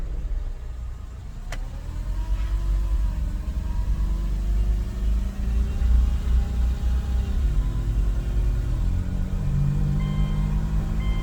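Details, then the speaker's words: Subaru with non-OEM axle shaft, driving at about 35-40 mph: loud low steady hum from the front end under road noise, droning with vehicle speed; worn wheel bearing. "So we're at about 35-40 miles an hour right now, and I can hear quite a large humming. Very obvious."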